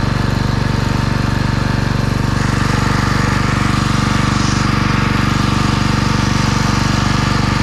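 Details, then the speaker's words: Husqvarna pressure washer: loud, hard, regular chugging about four beats a second with rattly buzz; heavy vibration, apparently from the bottom of the frame rather than pump or engine, unconfirmed. "Well, that noise sounded like it was either coming from the pump or the engine, that heavy vibration whenever I twist the frame, but apparently it's not coming from either. It sounds like it's coming from the bottom of the frame that's holding it."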